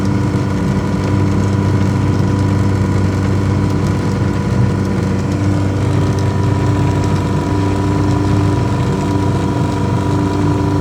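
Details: Yamaha 100HP outboard test-run after an ignition misfire: steady, even idle with a constant low hum and no stumbles or skipped beats; runs smoothly.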